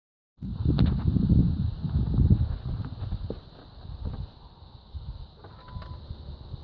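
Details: Audi A1 TFSI petrol engine on cold start with a loud, uneven timing chain rattle that fades after a few seconds; chain replaced twice in 3.5 years, owner now suspects the hydraulic tensioner.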